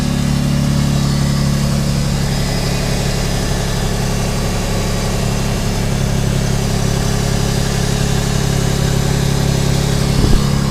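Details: Subaru SVX after replacing front (driver's side) knock sensor and all 23-year-old vacuum lines, idling, no check engine light: smooth steady idle with even low drone, no knocks, misses or hunting; normal idle.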